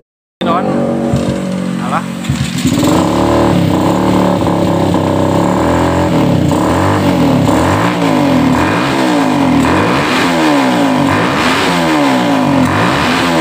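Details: Suzuki Satria FU 150, before porting and valve rework, slow to gain rpm. Repeated blips where the pitch climbs lazily and never screams at the top; valve shims were later found uneven in thickness and all replaced.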